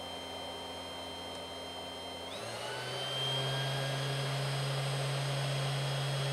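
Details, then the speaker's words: 3018 CNC upgraded to a 400W spindle on PWM speed control, speed stepped from 1000 up to 2500 and 5000 rpm: spindle winds up, then settles into a steady, even hum with a clean high tone; normal spindle run. "let's see 1000 okay I'm not sure you can hear it but it's like start to get a bit louder 2500 well you can hear it now I think 5000"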